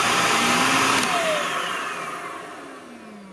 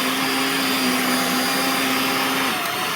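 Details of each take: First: Power head brush roll starts turning about one to one-and-a-half seconds after the motor whine starts and climbs, recorded with the microphone next to the power head after deep cleaning and reassembly; the owner is unsure whether this delayed brush-roll start is normal. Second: Vacuum cleaner (Dyson/Shark) on its high-speed setting after a deep clean and reassembly: a steady, even high-pitched motor whine that dips slightly at the end, normal running at high speed.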